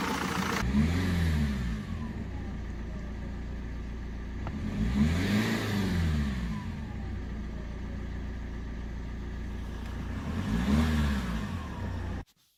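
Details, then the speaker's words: BMW E87 diesel with high fuel consumption, revved after a thermostat replacement. A thin whistle rises and falls with boost on each rev: air escaping from a damaged lower intercooler hose, a boost leak. "that whistling sound you heard is not normal the lower intercooler hose down there is damaged give me a second and I'll show you what I mean"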